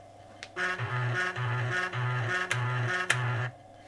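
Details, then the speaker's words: Panasonic JU-455 5.25-inch floppy drive after cleaning and lubrication, disk inserted, SuperCard Pro maximum track test: five even buzzing bursts as head steps out and back checking home sensor, no grinding or stalling; healthy, max track 43. "it's doing is its running it forward and then back and checking the home sensor ancing how far it can go without stalling out"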